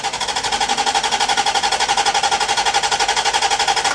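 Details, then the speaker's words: Barn-find C4 Corvette ZR1 during cam sensor testing, likely still on original plugs: steady starter churn with even compression pulses about four a second and no catch at all. Starter cranks but the engine never fires. "oh why is it not trying to fire at all no try it again"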